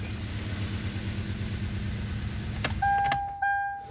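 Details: Petrol engine of a 2016 Hyundai Accent idling evenly after a crank-no-start was fixed by replacing a blown fuse that had cut injector/coil pulse, then a couple of clicks and a held electronic tone.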